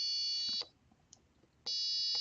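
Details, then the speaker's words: Four-button analog-input tone circuit under test: pressing two buttons at once gives a steady high electronic tone, a brief stop, then the same single note with no second pitch, so only one note plays. "I'm only going to hear one note okay not a multiple notes"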